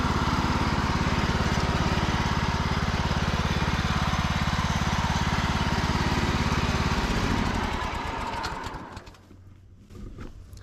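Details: Cub Cadet riding mower, after sitting 3+ years, on a final test run following a charging system repair. Steady, even beat with no misses or knocks, then a clean wind-down at shutoff; healthy running.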